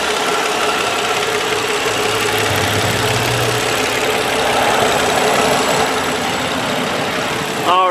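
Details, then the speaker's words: 2003 Nissan Maxima GLE, 3.5 L V6, microphone close to engine under open hood at idle: steady quiet even hum, no knocks or ticks; normal healthy idle. "right as you can hear pretty quiet motor it's a good running car"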